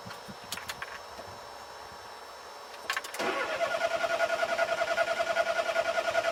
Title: Mommy's car won't start - Pedal Pumping cranking